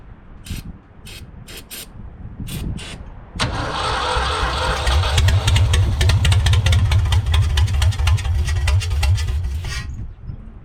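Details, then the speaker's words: 1974 Ford 3550 industrial tractor, first start on starting fluid: slow cranking bursts, then rough running about six seconds before dying; flooded engine. "Kind of flooded. Hold on."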